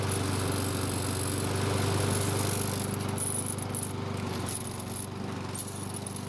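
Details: Free Lawn Boy mower after its gummed choke flap pivot was soaked with carb cleaner: steady, even running with a smooth, regular beat and no misses or surging; engine healthy after the repair.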